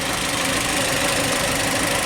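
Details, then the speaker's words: 2007 Kia Spectra manual, 166,000 miles, crank-no-start case: uneven, lumpy idle with irregular low knocking under a harsh hiss; a scope shows the cam timing well advanced of the crank, causing the rough idle. "at that that's way advanced right"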